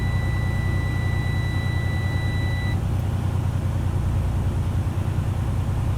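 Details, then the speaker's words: Truck with air brakes: steady high-pitched buzz over rumbling diesel idle cuts off after about three seconds, with warning light, during air brake testing. Low air pressure warning buzzer. "That light and sound, that was our low air warning, and we'll talk about more of that later."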